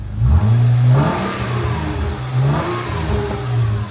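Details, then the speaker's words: Jeep JK after intake manifold reinstall with a replaced hose, check engine light off: quick throttle blips climb and drop smoothly with no stutter between revs; no vacuum leak, normal revving. "yep sounds good if there was the back vum leak uh you would hear it it would cut out like stutter between the RPMs so sounds good"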